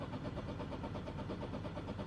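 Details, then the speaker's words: Mk8 Ford Fiesta ST just programmed with the Mountune M225 immobilizer file. With the clutch down and the start button pushed, the starter cranks evenly for about two seconds and never fires: crank, no start from the immobilizer. "and as you can hear, the car won't fire. It can't start."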